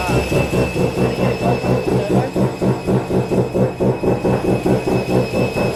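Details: Mazda FD RX7 RS Series 8 bridgeport rotary with Hypergear T51R single-turbo conversion, first start, untuned, open dump with no muffler: very loud, raw pulsing idle about two beats a second with harsh exhaust bark.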